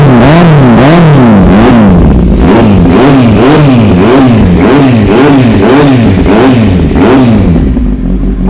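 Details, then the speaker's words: 2013 Kawasaki Z800, 33,000 km, Yoshimura exhaust: starts easily, repeated quick blips rising and falling cleanly about three times a second, crisp sporty exhaust, no knocks or rattles; healthy engine. "โอ้วเครื่องฟิตสตาร์ทติดง่ายรอบมาเร็วๆก็มาเร็วแล้วฟังเสียงเครื่องกันหน่อยแล้ว"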